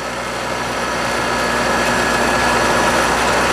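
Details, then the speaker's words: Scrap-saved single-phase air compressor motor with a run capacitor added. It starts normally and draws half the former 4 A; steady, even hum with no knocks or rubbing, running normally. "So let's go for a start here. So now started up normally, and now we're pulling half the current because we have the run capacitor working."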